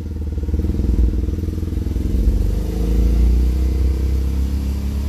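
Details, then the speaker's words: BMW Isetta single-cylinder, which arrived with no oil, accelerating in first gear: the thump climbs evenly in pitch with no misses or knocks and revs out cleanly. Owner hopes no oil is coming out the back. "Revs out good. Hope we're not putting oil out the back."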